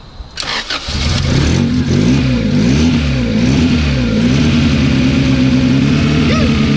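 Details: EF Honda hatchback with turbo B18B1 after full engine wiring harness repair, main relay bypassed, in neutral: short crank catches within a second, revs and settles into a steady even idle; starts and runs cleanly.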